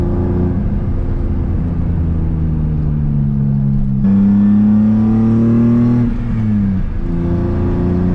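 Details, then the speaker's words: M50-swapped BMW E30 with solid mounts and a stage 1 FX clutch kit, driving: a steady whine over the engine that climbs with road speed and drops off when the throttle lifts. The owner blames the transmission, though the source is unclear; noted as drivetrain whine. "Like, you really hear the trans. Like, you guys probably hear it on video, like the whining and stuff."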